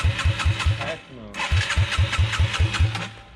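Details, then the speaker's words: Yamaha TTR 225 dirt bike after rebuild, run without a muffler and needing choke to start; it keeps dying. Loud raw open-pipe bark with sharp cracking pops every few beats, shooting flames: backfiring. "it's like really loud [Music] it's backfiring it's shooting flames"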